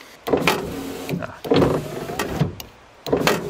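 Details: Ford Ka I power window that makes a nasty noise going down and sometimes won't go up; motor runs in short bursts with a straining whir and knocks at each stop, regulator piece not sitting flat against the body.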